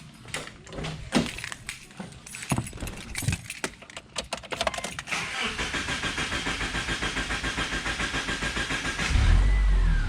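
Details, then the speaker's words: Subaru Legacy after replacing the power steering belt: cranks, catches and settles into an even idle pulse about three or four per second, with no belt squeal; normal idle. "that was strange so there we go no squealing not sure why i didn't start right up there yeah it's strange all good now"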